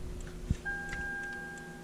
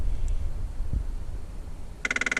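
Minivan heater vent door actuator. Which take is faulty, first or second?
second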